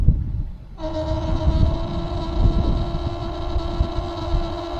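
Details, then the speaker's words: Very old outdoor garden water tap hums steadily, starting abruptly as it opens; caused by a faulty old vacuum breaker vibrating, before replacement with a new DURA vacuum breaker. "Over the last few years, when I turn this tap on, it makes a humming sound. It's not a hammering sound, it's a humming sound."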